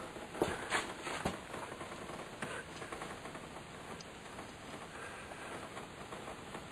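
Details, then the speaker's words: Household water line in a low crawlspace: after the water is turned off, a quiet, irregular patter of drips, about three a second, falls from a poorly soldered sweat joint near a lead pipe. Dripping leak. "Alright, water's all turned off and there's my leak. Drip, drip, drip, drip, drip, drip, drip, drip, drip, drip, drip, drip, drip."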